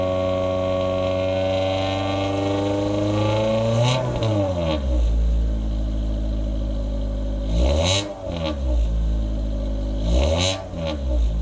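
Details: 2000 Honda Civic with a cat-deleting header and test pipe, OE piping and muffler, before the resonator was added, accelerating: a coarse, buzzy exhaust rasp rises above about 2,800 rpm.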